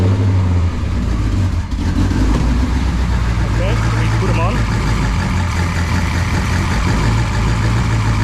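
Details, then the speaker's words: Ford AU XR8 with a secondhand add-on electric brake vacuum booster pump, relay-wired to run when the brake is pressed. It gives a steady low hum under idle with no surging, working properly, though its noise is audible inside the car. "okay it's worked very well but I think we have a bit of problems if we leave it here we step on the brake inside the car who you would hear the noise of the pump"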